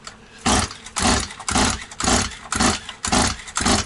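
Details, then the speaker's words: Stihl 180 chainsaw after piston and crankshaft seal replacement, choke closed: seven sharp pull-cord whooshes about twice a second, no firing; too much oil in cylinder, started once a little petrol was sprayed in. "Так, друзі, мало багато масла, мало багато масла в циліндрі не міг завести. Чуть-чуть бризнув бензини, зразу пішла."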